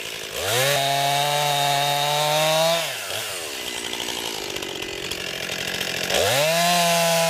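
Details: New 50cc two-stroke chainsaw, about ten pounds, cutting wood from a skidded pile on a cold day: crisp scream winds up clean, pulls down steadily in the cut, revs straight back up. Owner finds lots of power for 50cc; healthy cutting.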